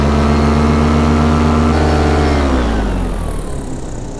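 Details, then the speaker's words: Atom 80 paramotor two-stroke, new motor that ran great for six hours: drones at steady high revs then pitch sags within a second, losing speed under load; owner suspects fuel starvation, not confirmed. "they're still doing it I don't know it definitely sounds like fuel starvation it's not getting enough gas in it which is odd because it ran great for six hours without an issue"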